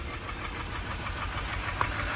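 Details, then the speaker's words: 2013 Kia Sorento 2.4 with a plugged catalytic converter, burning oil, cylinder 3 misfire codes: rough idle with a steady knock each revolution from the valve area; an intake valve not opening, broken valve suspected. "now this noise is coming from right in here and we have an intake valve that's not opening is what we have we either have a bad we either have a broken valve or something's going on"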